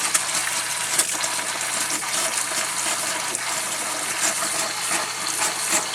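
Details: Camper water system with a replaced Surflo 4008 Revolution pump and a drained water heater: water splutters and spits unevenly from the tap, with irregular bursts and hiss instead of a steady stream, while air is bled from the lines.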